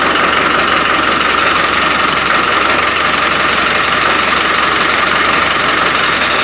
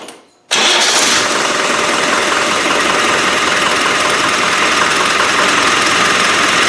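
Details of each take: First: Rebuilt Land Rover 300Tdi diesel after fuel delivery trouble, which the owner thinks is the lift pump: even, steady diesel clatter at idle with no stumbling or misfire, now that fuel is reaching the injectors. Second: Land Rover 300Tdi diesel after rebuild, new OEM mechanical lift pump refitted, battery low: catches after a short silence and runs with a slightly uneven, fluttering beat instead of a clean tick; owner says definitely a fuel pump problem.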